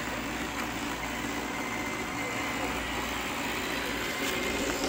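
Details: Roomba 694 robot vacuum on carpet only: steady rough grinding whir from brush area with no clear rhythm; brush grinding noise.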